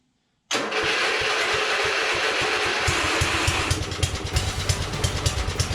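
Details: 1982 LongLife 36" lawn tractor, 40-year-old barn find, after carburettor needle work and no more fuel leaking from the carb, catches immediately and settles into a strong, even single-cylinder pop with no misses; runs really good, normal starting and running.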